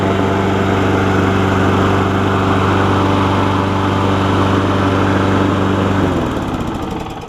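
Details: John Deere JA60 push mower after freeing a stuck valve, repairing pull rope, original carburetor refitted with a different jet: steady, even hum with constant pitch until shut off, though the tiniest stumble remains; running well.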